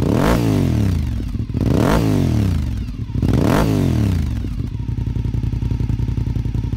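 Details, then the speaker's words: Warm 2002 Honda RC51 V-twin, fast idle lever down in the normal run position: a few quick throttle blips, then a loping, even idle with no knock or rattle; healthy warm engine. "As you hear it start up, the fast idle lever is down to the normal run position."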